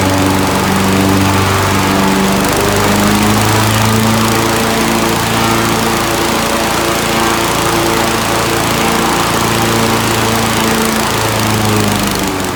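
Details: Kohler Magnum 18 MV18 twin at full throttle: runs hard while pitch keeps stepping up and down; bad fuel pump lets enough fuel gravity-feed at idle but starves and dies at full throttle.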